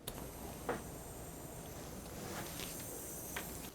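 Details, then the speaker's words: Older ASRock-based used gaming PC that shuts off whenever a game loads: failing power supply makes an insane loud steady hiss, possibly near frying itself. "This thing is probably on the verge of frying itself, as the power supply in here is making this insane hissing noise."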